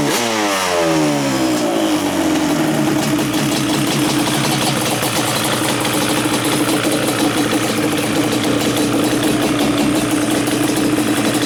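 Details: Yamaha Banshee two-stroke twin, carbs just synchronized with a sync tool, airbox removed and pods fitted: settles into a steady, even idle with clean blips. Runs smooth and balanced, nothing uneven or missing.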